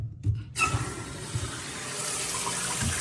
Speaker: And you can see all the water coming down. No problem. No noise. No spraying water.